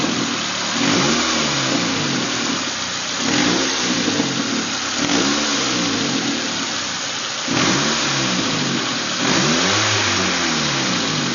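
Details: Nissan Primera P11-144 engine revved up and down repeatedly, with an odd, uneven note over the rise and fall of revs; weird engine sound, cause not yet pinned down.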